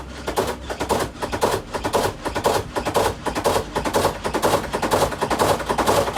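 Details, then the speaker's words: Samsung WA48H7400AW/A2 top-load washer on test spin, around 200 rpm and building: hard clattering knocks about twice a second, keeping pace with the spin, as the tub swings out and strikes the cabinet; the four corner suspension rods are recommended for replacement. "it starts normal but then it's gonna make a really really ugly tapping noise"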